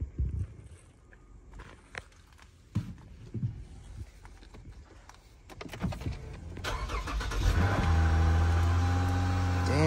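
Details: Infiniti M37S bought at salvage auction, about 168,000 miles, airbag/SRS lights on: engine catches near six seconds and settles into a smooth, even idle with a steady low hum; normal start and idle.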